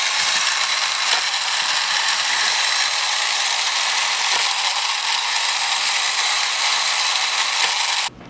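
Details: Vintage Tandy Radio Shack computer truck toy on two batteries, after reattaching a detached wire: fast dry ratcheting clicks, about three a second, over a whirring motor as the cam gearbox turns normally.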